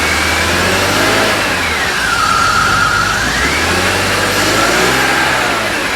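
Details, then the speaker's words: BMW E46 at 200,000 miles, first start after months of resealing work, with something left disconnected: revs rise and fall unevenly with a lumpy note, a rough-running misfire; a code was thrown. "Left something disconnected, got a code, not running very good, so let's figure it out."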